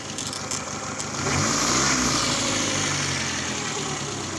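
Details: Peugeot 206 that stalled suddenly, with the ECU found to be the cause, started after ECU service with new data loaded. The check-engine light is on at key-on. A steady idle swells smoothly when revved and drops back evenly with no knocks: normal idle and revving.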